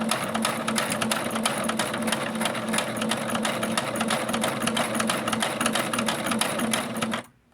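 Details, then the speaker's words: Singer Brilliance sewing machine at 2.5 stitch length and 3.5 width, before cleaning and oiling: rapid clatter of about three stitches a second with a sharp metallic clank; source unknown, owner wonders if it comes from the stitch setting. "So it's really tight, but there's some clattering that's going on, which I don't know what it is. And if I'm going to be recording and sewing on live, I don't know if I can handle the noise."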